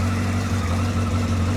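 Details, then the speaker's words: Yamaha XJR1300, cold after 3.5 months parked on a trickle charger, idling on a little choke; steady even low burble at raised tickover with no misses, knocks or ticks, owner says nicely ticking over, bit dirty; normal idle. "ticking over, that. Bit dirty. So there you go, Japanese quality."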